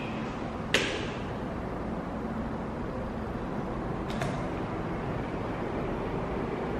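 Soft steady fan rush with a couple of brief clicks as the head homes, otherwise even and quiet; a normal reset.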